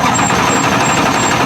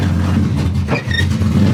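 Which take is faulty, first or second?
first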